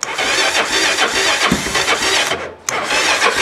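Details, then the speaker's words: Vehicle on a battery that froze over winter, revived by cycle charging for three days; about 2°C outside. The starter churns steadily and evenly at good speed, with no dragging or clicking. Normal cranking. "okay that is a good sign I like that that's usually what it sounds like when a crank start"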